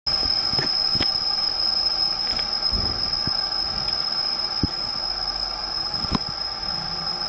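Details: Garrett GT2871R ball-bearing turbo, recorded from the intake after engine off: a thin, steady high whine keeps going as the healthy turbo coasts freely, normal spin-down.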